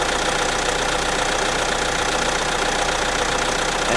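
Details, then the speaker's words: Renault 1.6 four-cylinder diesel warming up from a cold start after sitting: even diesel clatter at steady idle with light ticking, typical tractor sound but quite refined, no misses or knocks; little exhaust smoke, humidity from cold. Normal diesel idle. "it sounds quite nice actually you can hear it's some the typical Diesel and tractor sound quite to refined actually"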